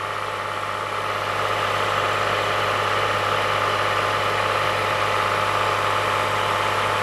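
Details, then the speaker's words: 2015 Toyota Sienna AWD 3.5L, complaint of wheel-bearing-like noise at 50–60 km/h, engine held at 2,000 rpm: a steady whirring whine. The tensioner is very noisy and the alternator noisy; wheel bearings and driveline checked OK. Accessory drive bearing noise. "so uh I found that the tensioner was very noisy on this one and the [Applause] alternator I can feel and hear that's very noisy here"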